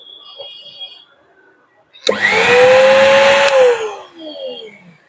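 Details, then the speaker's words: Universal commercial mixer grinder after tightening the switch screw connections: motor spins up to a steady, even high-pitched hum with no rattle or scraping, then coasts down. The motor runs normally. "देखिए यह कितनी आसानी से चल रहा है। कोई आवाज नहीं है।"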